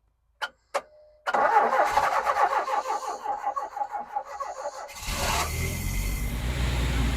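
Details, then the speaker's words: Ex-British Army Bedford CF Ferguson 4x4, 7000 miles, parked for years, started on a freezing cold day: a couple of clicks, about three seconds of rhythmic cranking, then it catches and settles into a steady run. "that's almost too easy that was wasn't it I bet you ain't gonna stay running"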